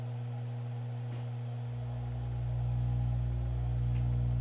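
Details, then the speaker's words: Miller & Kreisel V-2B subwoofer amplifier, 5 V AC ripple on the 35 V positive supply rising to 10 V with audio fed in: deep steady mains hum swelling and roughening; failed main filter capacitors, replaced to fix. "i've got five volts of ac ripple with no audio coming in let's go ahead and give it a little bit of audio now and if that number goes up then i know i've got a problem in the power supply circuit"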